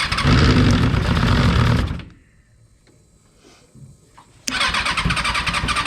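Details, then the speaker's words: Car with a freshly installed rebuilt Kawasaki 636 engine, sputtering on first runs: catches and roars for two seconds, cuts out to silence, then fires back up abruptly; hard starting, intermittent firing. "we got Billy's car fired up and just couple kinks to work out"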